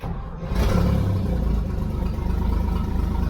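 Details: Toyota FJ40 Land Cruiser, just bought, restarted after adding gas to the carburettor bowl and sorting out the coil problem: short crank, then it catches into a steady, even low rumble and idles smoothly with good oil pressure; normal start and idle.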